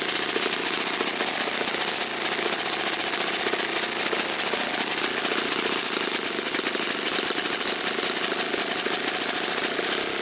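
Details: Saito FA-56 four-stroke glow engine, first run after cleaning and bearing replacement, 12x6 prop, OS F plug, 5% fuel, tuning run: high, steady buzz at even speed, no stumbles or surging; normal running.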